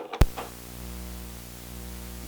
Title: Why Your Audio Setup Has That Annoying Buzzing Sound